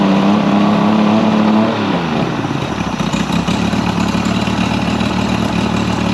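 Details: Mercury 50 hp outboard after rebuild and timing set: steady, even idle with soft low thrum, no misses, knocks or hunting; running smoothly, idling about 7800 RPM on the timing light divided by two.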